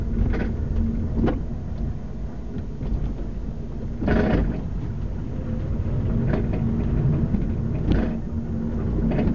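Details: 2005 Mazda 3, recorded from the trunk: road rumble with sharp hollow clunks over every bump, seemingly from the rear driver's side (unsure). It does not occur when the brakes are pressed. Rear clunk over bumps, source unknown.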